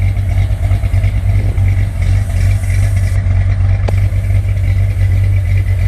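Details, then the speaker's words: 1968 Corvette 383 V8 with fuel injection on default program, sea-level tune: deep, heavy idle with steady lope about three beats a second; less lopey than with the carburetor but cam still audible; healthy. "It's not lopey like it was with the natural carburation, but you can still hear the cam."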